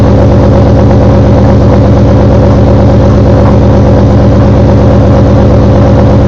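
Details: Car just fitted with CMS stage 2 blower cams, started up with a loud regular knock about a hundred beats a minute over a rough, heavy idle; cause unknown.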